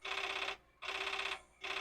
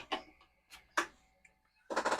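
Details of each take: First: Commodore 4040 dual disk drive found filthy in a basement, spinning both drives after a disk reset: repeated half-second bursts of high buzzy chatter and head banging from the drive mechanism; abnormal read noise, with a disk status read error. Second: Commodore 4040 dual disk drive reading a disk's directory; irregular light head-stepping clicks then fast ticking burst as directory loads; disk and drive read normally.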